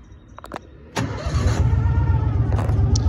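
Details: 2014 John Deere 550 Gator, 85.3 hours, foot on brake: quiet, brief crank, engine catches and settles into steady low even run; healthy start.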